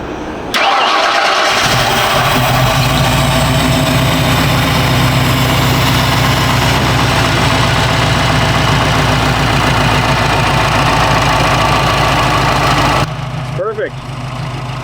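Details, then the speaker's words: 1977 Ford Bronco V8 first start after Holley Sniper 2 EFI install, new fuel tank and tuning: quick crank, catches cleanly into steady even idle, no misses or knocks, IAC set, no fuel leaks, good timing; normal start and idle. "Now that we finally got this Holley Sniper 2 system installed in the Bronco and we got the new tank installed, we got a plumb for fuel, we tuned the computer, and it's time to fire it up."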